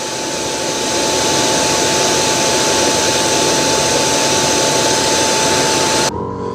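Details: iRobot Roomba Combo 505 AutoWash dock auto-empty: loud, even rushing suction with a thin steady whine for six seconds, then a clean cutoff; normal emptying run.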